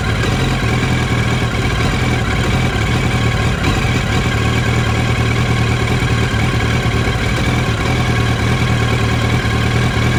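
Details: 2007 Yamaha R1 with a recently developed rough idle: the low exhaust beat stumbles unevenly as if a cylinder is missing. Spark plugs were changed but the coils are original.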